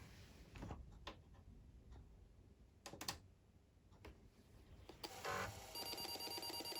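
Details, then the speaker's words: Atari 810 disk drive with Tandon mechanism, after fitting a 3D-printed replacement door, booting a DOS 2 disk: quiet clicks and seeks, then steady whirr with fine stepping chatter; drive spinning and reading normally. "drive's spinning. You can see the activity light. You can hear that the drive's reading it is fine."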